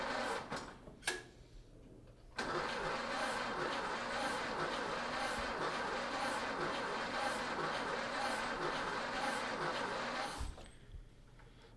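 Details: 1930 Ford Model A, first start attempt after sitting seven years: slow, even cranking at about two beats a second for eight seconds without catching; crank no-start.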